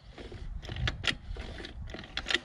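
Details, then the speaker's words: Tuned, ported scooter, kickstarted slowly: short airy hisses with faint clicks into the carburettor and exhaust; compression escapes past leaking valve seats, and the owner notes power improves, possibly as the valves bed in. "jest, wszystko jest wina właśnie tych gniazd zaworowych. No przepuszczają, bo słychać, że syczy w gaźnik i syczy w wydech, nie?"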